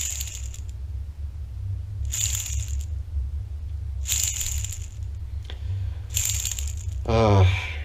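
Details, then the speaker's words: Removed bearing from a BMW/Awtowelo/EMW R35 motorcycle after about 30 years of heavy use, spun by hand: short bursts of loose gritty metallic rattle; badly worn bearing that could grenade, replace. "yeah so if you ride on bearings like this there's also a chance that this whole thing will grenade replace them"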